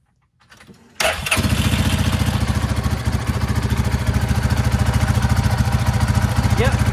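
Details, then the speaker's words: Coleman UT 400 after tightening loose exhaust fittings that had caused a loud exhaust noise; starts first try and settles into an even, steady low putter with no ticking or leak puffing, normal running. "that was it that's how she's supposed to sound i guess in the future i'm trying to keep a check on those right there make sure they're tight"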